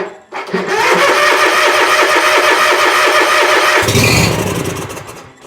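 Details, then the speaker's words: Bobcat zero-turn mower, possibly weak battery: cranks, catches, runs evenly about three seconds then dies; stalls after starting. "Runs and dies. Now we got a fuel issue to deal with."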